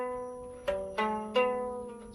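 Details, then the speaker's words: Lyre being tuned up after the bridge is reset: plucked notes ring with a rattly buzz on each attack; usually caused by strings not seated properly in the bridge or nut, or grooves not deep or wide enough. "nine out of 10 times what's causing that is that the the strings not seated properly in the bridge or the hole in the bridge uh in the nut the bridge is not deep enough or wide enough and vibrating agai"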